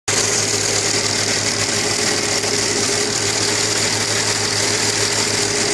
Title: AKG стучит шатун